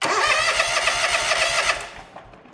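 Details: John Deere X300 series lawn tractor, crank-no-start diagnosis, fuel pump confirmed pulsing: starter spins the engine evenly for under two seconds, it never fires; crank no start, no spark.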